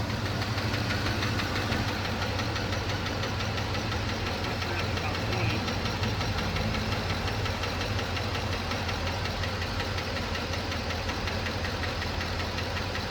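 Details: 2007 Chevrolet Trailblazer LT V8, 119,000 miles, idling after motor flush: light rapid ticking over steady run; collapsed lifter persists, DOD eliminator kit with cam and lifters planned.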